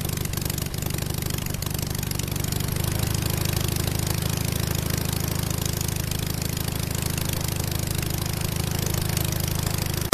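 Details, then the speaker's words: 37 HP half-VW 1037cc cut-case Hummel airplane engine, Tennessee 54x20 propeller, on test stand in cold about 30°: steady even propeller drone, no misses, knocks or surging; runs smooth. Normal running. "it runs pretty smooth but I was really afraid it was going to shake or who knows what when started it up but so far this whole Project's a success"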